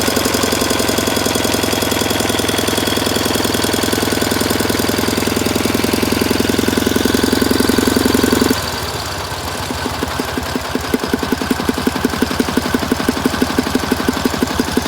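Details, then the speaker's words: K750 motorcycle with throttle added: loud rough running with sharp banging pulses three or four a second following the revs, owner says seemingly from the air filter; source unclear. "Появились какие-то странные звуки, которые доносятся как будто бы из воздушного фильтра. Какие-то такие бахи."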